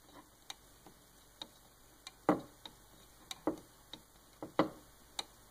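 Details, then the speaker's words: Shapeoko3 CNC V-wheel removed and held in a small vise, rocked by hand: sharp irregular plastic clicks as the plastic outer wheel slops a fraction of a millimeter on its bearing, causing Z-plate flex; loose V-wheel. "can certainly hear it clicking. It's moving, a fraction of a millimeter, but it is noticeable."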